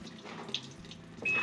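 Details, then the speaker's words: Washing machine water inlet solenoid valve fitted with a swapped 220–240 V AC coil, tested after the coil change: brief quiet, then a soft click and a steady rush of water as the valve opens; filling normally. "นี่ตอนนี้คือโซลินอยวาล์วจ่ายน้ำเข้าทำงานนะครับนี่นะไฟจ่ายมาแล้วนั่นเองนะครับ"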